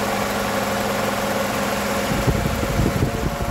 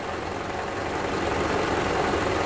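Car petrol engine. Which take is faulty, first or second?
second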